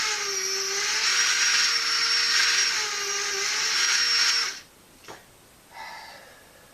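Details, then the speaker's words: Hornby OO gauge turntable on 12 volts rotating with a locomotive aboard: loud, high-pitched, wavering whirring buzz for about 4.5 seconds, then it stops. The drive motor is very noisy. "So now we'll put the engine back on it, and we'll move it over again. Very noisy, as you can hear."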